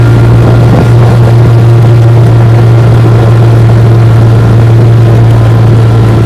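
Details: 1958 Johnson 3 HP JW14 two-stroke outboard, fully restored with a rebuilt magneto and lower unit, warm start, pushing a boat about 5 mph: a steady, even low drone at one pitch with no misses or knocks, running cleanly.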